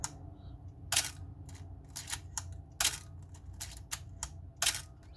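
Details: Working Canon AE-1 SLR used as a reference: three crisp, snappy shutter clacks with lighter clicks between, no squeak or drag, unlike the squeaking, slow-shutter Canon compared to it.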